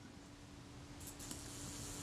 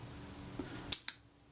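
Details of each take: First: Kodak Retina Reflex IV self-timer after naphtha cleaning, run on the bench: faint steady mechanical buzz with a thin even tone for about eleven seconds, stopping cleanly with no hesitation; normal self-timer run. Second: Kodak Retina Reflex IV slow shutter speed after shifting the retard gear train: brief whirr, then opening click and closing click about a sixth of a second apart; speed now too slow, setting lies between this and the previous one.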